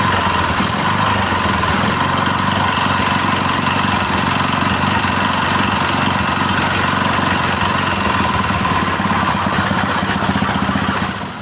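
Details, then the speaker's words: Honda GX160/200 petrol engine that would not start, after carburetor cleaning and reassembly with fuel tap open: steady even chug at a deliberately raised idle so it won't stall under water-pump load; runs healthy. "Dan ternyata mesinnya sekarang sudah bisa hidup ya. Untuk langsamnya memang agak ditinggikan."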